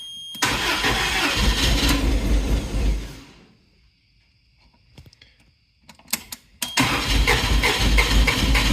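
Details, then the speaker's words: Toyota propane forklift of about 3K capacity, 4Y engine reportedly once seized, correct propane tank fitted: cranks and runs roughly for a few seconds with a hair of throttle, then stalls; owner unsure of propane adjustments. "So, giving it a hair of throttle. It actually will run, but it stalls out."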